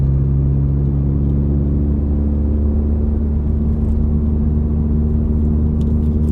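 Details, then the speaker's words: Ford Focus ST in cabin, accelerating uphill at 12–15% throttle around 2500–2600 rpm: steady, loud deep booming hum, exhaust drone resonating into cabin, before fixing. "that's normal levels of acceleration right there like 12 15 throttle with accelerating it's really loud yeah that's that nasty drone right there like a 25 2600"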